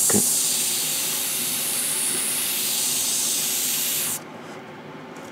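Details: New Gaahleri GHAD-39 Advance airbrush, paint now flowing: smooth steady hiss with no crackle or sputter until trigger release; spraying evenly and controllably.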